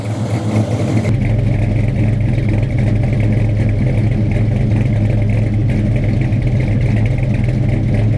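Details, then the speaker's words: Freshly installed 450 hp Blueprint crate V8 with a carburetor, first start: deep, steady idle with a slight cam lope, firing evenly on all eight cylinders with no misses or knocks; healthy. "It's running on eight, obviously. Yeah, sounds mean."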